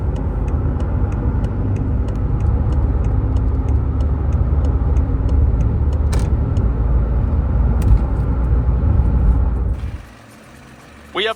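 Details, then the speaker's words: 2019 BMW 530 (G30) after engine replacement following a coolant leak from the oil filter housing: steady, even engine drone under road-test load, light ticking on top, no knocks or misses; temperature normal, no fault codes. "completed our road test and as you can hear engine is Sting beautiful run like a jamp"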